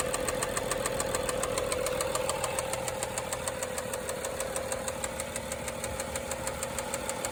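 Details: BMW 535xi with N55 engine that stalled in stop-and-go highway traffic and kept shutting off after restarts: a sharp, even metallic knock over idle that grew louder. A later valve cover inspection found a tight chain and an intact camshaft; cause unknown.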